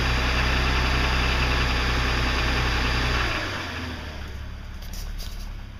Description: 2006 330i (E90) started cold start knocking 6 months ago. It has since escalated to now knocking all the time.